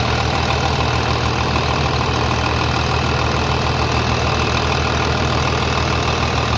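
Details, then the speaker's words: 3588 diesel after engine rebuild (new cylinders and pistons), 7,338 hours, idling with hood open after leak check; steady, even, quiet low beat with no knocks or rattles, healthy normal diesel idle. "we got 7 338 hours on it with a brand new engine looking good sounding good i can't believe how quiet it is"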